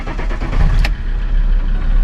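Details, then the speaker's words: Alfa Romeo 159 2.4 JTDm diesel just after fuel filter replacement and priming until no bubbles are heard: engine cranks briefly, catches cleanly and settles into a steady, even idle; normal start. "donc moi là j'ai rempli le fitr normalement ça devrait démarrer correctement on n'entend pas de bulle"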